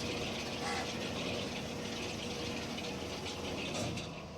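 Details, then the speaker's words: Lift roller drive after fitting new gears (18 one side, 19 the other) via gear adaptor change: steady unbroken mechanical rumble with faint gear chatter, roller now turns continuously instead of the earlier stop-start rotation; normal. "இப்போ பாருங்கள், அப்படியே கண்டினியூவாக சுற்றுது பாருங்கள்."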